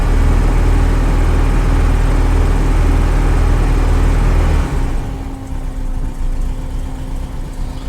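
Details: 1968 VW Type 3 after master cylinder and rear soft brake line replacement, timing backed off, slow starting, fuel pump audible, warming up: a steady low, even idle with a smooth beat and no knocks, then it quietens as revs settle. Runs fine.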